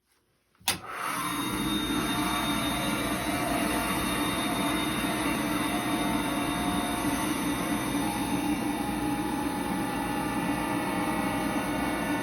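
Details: Riello 40 F5 oil burner: constant high-pitched squeal over the steady motor and fan roar; probable cause the motor bearing (sealed unit, no lubrication points), not confirmed.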